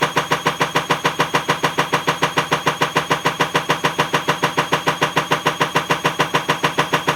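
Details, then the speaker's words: Bosch Avantixx 6 WAE24366GB washing machine, drum spinning up, well below full speed: heavy, very even thump about twice a second, already loud; broken drum spider (machine also trips the circuit breaker, element suspected). "but if you hear that clicking that's the broken spider it's pretty loud there's nowhere near full speed yet so"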